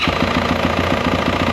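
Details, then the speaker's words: 2024 Yamaha YZ450F bought at auction as "loud": sharp metallic knock about six times a second over the idle, clattering hard; a broken gear tooth was found in the case behind the clutch cover. "See if we have any more noise. cuz you heard it before and it made a hell of a racket."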